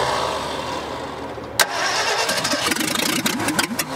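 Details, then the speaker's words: 1965 Ford F100 buried over 50 years, first start attempts with heavy pedal pumping: cranks, catches briefly with uneven sputtering pops, then dies; seems fuel-starved or too much air, likely needs choke; hard starting, sputtering. "it's still not getting enough gas down in there for some reason or we're getting too much air i guess is what it would be yeah because i'm having to really pump on it"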